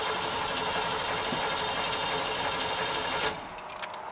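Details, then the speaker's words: Modded Chevy 5.0 V8 with manual transmission; complaint was low power, and it stored code 1345 cam/crank correlation; fuel pump primes at key-on. Steady starter churn about four beats a second for three seconds with no firing; crank no-start. "all right we got a crank no start it looks like get this SK wheel out of the [Applause] way pump the gas couple maybe spray some starting fluid in there see if it fires up"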